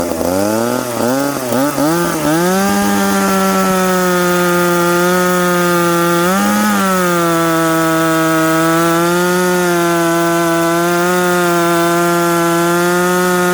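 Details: McCulloch Pro Mac 850 chainsaw with an expansion pipe, cutting two-year-seasoned hard oak at 10,300 rpm in the cut. A few quick revs, then a long steady high-pitched pull through the wood with barely any sag. Normal cutting under load.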